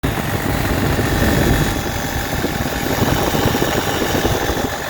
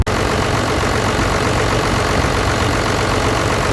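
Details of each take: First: 12-valve Cummins diesel idling before an XDP alternator replacement: a faint steady whine over the diesel clatter from the old alternator's failed bearing. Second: 12-valve Cummins diesel with a new XDP high-output alternator replacing one with a failed bearing, charging 14 volts: steady, even idle with dense diesel clatter, no bearing whine or rattle from the alternator: normal idle.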